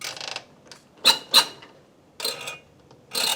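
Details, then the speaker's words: Rebuilt diesel injector nozzle for Toyota Landcruiser 1HD-T on pop tester, cap nut torqued to 40 Nm: short bursts of sharp buzzing hiss, healthy chatter absent before rebuild; opening near 180. "Can you hear that chatter? Yep, yep. So that's what it should be sounding like."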